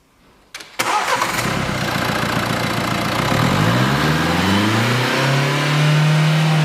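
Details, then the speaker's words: 2016 Renault Kadjar 1.5 dCi that wouldn't rev after a service because the air filter was fitted the wrong way; with the filter fitted correctly it catches and revs cleanly. Healthy free revving. "As you can see, the vehicle revs freely. So the problem has been this air filter fitted the wrong way."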